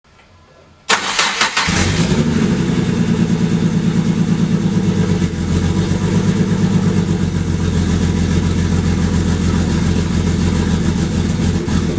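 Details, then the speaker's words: Barra-swapped Mustang drift car cranks, fires up, then settles into a very rough, uneven, lumpy idle that stumbles irregularly; air-fuel ratios pegged lean, over 17; one cylinder dead from a faulty injector and low fuel pressure. "it fires up it idles but something is very much not right it is running very very poorly"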